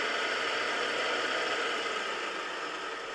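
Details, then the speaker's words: Polaris Sportsman 500 cooling fan fed 12 volts directly: smooth steady whirring hum, no grinding or ticking, fan motor good; problem was fan not kicking on and engine overheating. "you hear the fan kick on so we know the fan is good so now we'll move on to the temperature switch"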